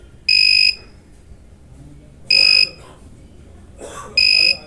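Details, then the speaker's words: Microtek EV 700 inverter PCB: shrill buzzer beeps in short bursts, about two seconds apart; overload alarm trips when multimeter negative probe (AC 200 range) touches the heat sink, PCB hums heavily, heat sink vibrates; cause still being traced. "मतलब heat sink को जैसे ही हम negative से touch करते हैं ये PCB overload पर चली जाती है, और इसीलिए ये पीसीबी ज़्यादा हमिंग कर रही है। ये देखिए, ये पीसीबी ओवरलोड पर जा रही है।"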